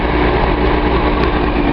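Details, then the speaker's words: Nissan 280Z L28 six after a suspect misfiring injector was swapped, warming with the thermostat not yet open: a smooth steady idle with an even low hum and no missing beats. The misfire appears handled. "I think we got that problem handled."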